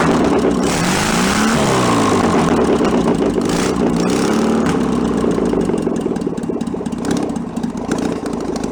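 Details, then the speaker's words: 1966 VW Bus flat-four, barn-find engine out of the car, with a carburettor still needing a rebuild: loud, busy idle easing lower as the automatic choke warms up and switches off; normal warm-up idle. "this is as the choke warms up it turns itself off and the idle comes down lower and lower"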